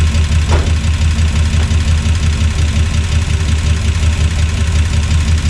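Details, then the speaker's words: 1976 Chevrolet C30 dually, new Gen 6 454 big block with hydraulic roller cam, restarted after draining suspect fuel: low, steady idle with a faint tick about three per second; idles, with coolant leaks and watery, leaking power steering fluid. "Power steering seems like it's kind of leaking a little bit. Also, the power steering fluid looks a little bit watery as well, so maybe a little bit of water got in the tank. But she idles."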